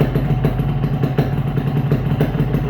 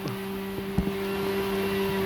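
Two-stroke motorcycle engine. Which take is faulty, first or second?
second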